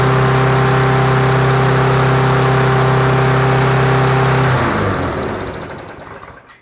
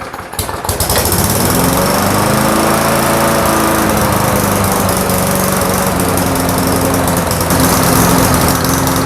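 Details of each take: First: Push mower with Briggs & Stratton Classic engine, after refitting the tank-mounted carburetor with gasket, diaphragm and extra gasket to cure surging: steady even drone holding speed without hunting, then winds down at shutoff; smooth running. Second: Briggs & Stratton Classic push mower engine with carburetor mounted on the tank, fitted with a new gasket, diaphragm and governor springs: speed hunts erratically up and down instead of holding steady; unmetered air leaking past the warped carburetor base.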